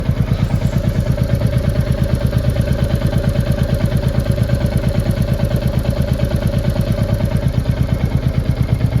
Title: Royal Enfield Classic Reborn's Engine sound with Tapped noise | Royal Enfield Tapped Noise Issue